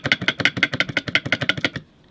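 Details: VW Samba bus transmission differential, taken apart and rocked by hand. About eleven quick hard clacks in under two seconds; the spider gears are stuck and don't spin, and the gears are super loose. Owner suspects the fulcrum plates are too thin and the gears are deformed. Loose differential gear clunk.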